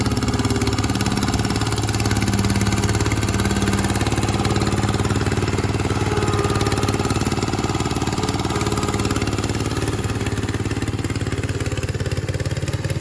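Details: 1968 Bolens Husky 775 Husky Pup lawn tractor, restored and swapped to a Hatz 1B30 V single-cylinder diesel, mowing: steady, even thump holding speed under load without stumbling, normal healthy running.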